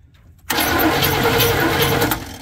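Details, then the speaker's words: Chevy squarebody truck parked 19 years: starter cranks in a short burst but the engine never catches, with new plug wires fitted, timing believed off and no fuel; no spark because the distributor was never plugged in, only its power wire. "Aaron excitedly I know what was wrong and he almost scared me when he did it but yeah we never plugged the distributor in we had the power wire in"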